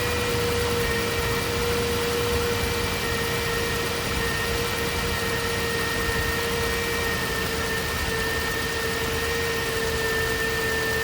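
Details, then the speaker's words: 2009 Range Rover Supercharged 4.2 V8 idling: steady high-pitched whine from a belt-driven component, being traced with a mechanic's stethoscope; owner first suspected supercharger but believes alternator, which was then replaced. "And it will amplify the noise. And it will help you pinpoint where your whine is coming from."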